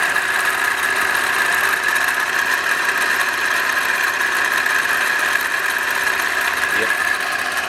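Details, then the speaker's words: Freshly built 454 big-block first fired, run about 10 minutes, carb on adapter plate; has oil pressure, owner suspects fan not good: steady, even idle with constant whirring tone, no knocking or ticking. Normal idle. "So far so good. It's got oil pressure. Sounds okay. No knocking."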